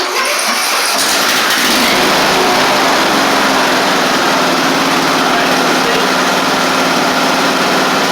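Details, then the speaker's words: Sabre riding mower just after a new transmission drive belt was fitted, started in neutral with the parking brake on. It starts within a second and settles into a steady, even putter without misses, then drives. Running and driving are now good. "all right that's excellent started up ran good drove so we're two out of three we're running and driving now"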